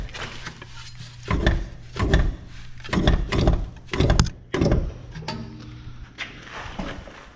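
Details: Rear suspension after DIY strut replacement: dull uneven knocks when the left rear wheel is rocked by hand, loud inside on potholes; loose strut mount, strut mount collar forgotten during assembly.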